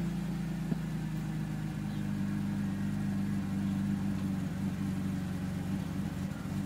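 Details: 2002 BMW 330Ci (E46) in its initial cold-start phase: a low, uneven, lumpy idle with stumbles and misfires. The owner suspects the fuel pump, which makes a low sound.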